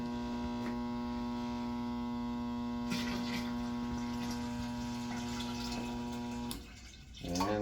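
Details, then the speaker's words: Shop unit at a little over three inches of water, fan switched off to hear fill solenoid: steady low electrical hum holds several seconds, then cuts off cleanly; normal fill solenoid operation. "there's the fan at three inch I have a little over three inches I'm gonna turn the fan off so you can hear the fill solenoid"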